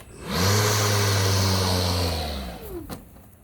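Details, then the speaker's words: Milwaukee cordless electric lawn mower, new unit, off the grass, switch held: spins up to a steady hum, holds about two seconds, then winds down and stops on its own despite the handle being held; motor cutting out after start, cause unknown. "it turns off i'm not letting go and it keeps turning off"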